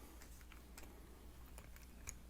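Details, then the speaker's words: Threaded mount turning with soft scattered ticks and light clicks; after applying Super Lube grease to the threads, the squeak is totally eliminated. "see look no squeaking just totally eliminated the squeak for you"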